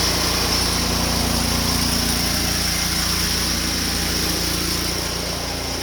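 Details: Honda GX690 pressure-washer engine with General Pump 8 GPM triplex plunger pump, test run after oil change: steady even buzz with constant pump hum, no hunting, knocking or surging; normal running.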